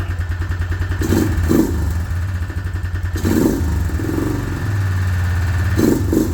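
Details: Suzuki Vinson 500 quad, single cylinder, coolant blown out of the cylinder and initially would not crank: revs unevenly with a hard clattering rhythm as the throttle blips; rough running, owner suspects a knock from coolant in the cylinder.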